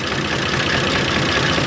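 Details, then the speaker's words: 1930 International fire truck (believed A5), old petrol engine: chugging unevenly at low speed with rough stumbling beat, still sounds like it's missing despite cleaned plugs and points; owner suspects fuel supply, fuel bowl missing. "I clean the plugs I clean the points but still kind of sounds like it's missing"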